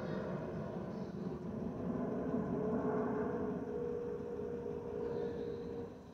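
A clear hollow whistle swells and holds steady over the cabin rumble, then fades; this is the usual wing vent tone, nothing wrong.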